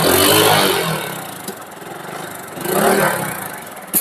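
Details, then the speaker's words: Glamour FI motorcycle after replacing faulty ignition switch that caused no-current starting problem: starts on self-start, revs up, drops to steady idle, revs cleanly again; problem fully solved, normal start. "तो चलिए इस गाड़ी का तो problem पूरी तरह से अब सॉल्व हो चुका है।"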